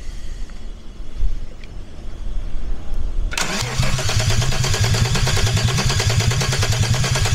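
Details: Peugeot 206 with a VR6 24-valve engine from a Sharan, first start attempt on temporary wiring, fuel pump wire just connected: starter churns with even, quick compression pulses but never catches.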